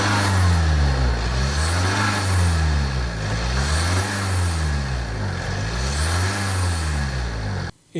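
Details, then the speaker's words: Tata diesel SUV idling after Liqui Moly Diesel Purge injector cleaning; deep, even idle with slow rise and fall in hum, no injector tick, earlier noise gone; normal healthy diesel idle. "आवाज पूरी तरह बदल गई है। Car की आवाज में निश्चित रूप से बदलाव आया है।"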